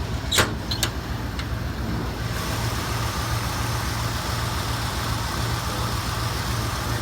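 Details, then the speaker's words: 1979 Ford Bronco, original owner, idling after sitting 17 days: steady, even low rumble with no misses or knocks after a couple of light clicks. Normal idle. "Everything, you can tell by the sound, running perfectly."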